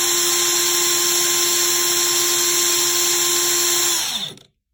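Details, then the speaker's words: Craftsman CMCF940 heavy impact wrench (built 2023 week 14) after repair: collision-displaced bushing hammered back concentric, old T-shaft refitted, grease added; steady high whir at high speed then clean spin-down, gearbox ~23°C versus 80°C+ before; normal running. "我刚才高速运行了大概几十秒钟吧，这在之前已经温升的到80多度了，就是前面测试的，现在还是23度左右。那它就正常了。"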